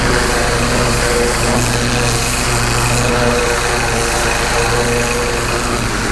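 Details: Pressure washer with rebuilt Annovi Reverberi XMV3G25D pump (new front oil seal and bearings), adjustable pressure regulator, test run after rebuild: steady loud even engine drone with constant pulse, no knocks or surging; healthy, engine later running low on gas.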